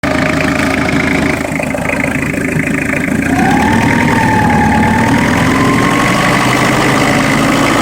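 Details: Citroën XM 2.5 TD (DK5) diesel: steady idle clatter, then a whistle rising and falling as revs climb; abnormal engine noise, source unclear.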